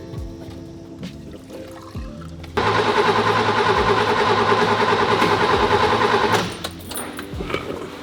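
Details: 1966 Mercedes 220S, sitting about 25 years, carburetor fed from a bottle of petrol by an electric pump: steady cranking at about three turns a second with no firing; cranks but won't start. Spark plugs suspected; they sparked, were cleaned, then it started.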